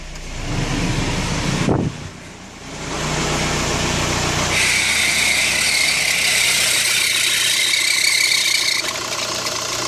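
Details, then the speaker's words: 2005 VW New Beetle TDI turbo diesel idling just after cold start with AC off: loud steady high-pitched belt screech and grinding from the accessory drive; cause was a bent-shaft replacement alternator and a weak original tensioner pulley, both replaced. "definitely grinding in there for sure I can hear something grinding"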